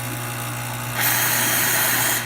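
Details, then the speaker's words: Pasquini espresso machine after repair of a leak, a clogged hot water assembly, steam wand bolts and a tune-up; low steady pump hum, then a strong even steam hiss; normal pump and steam operation. "Start with some hot water. Hear it and see the steam, good flow."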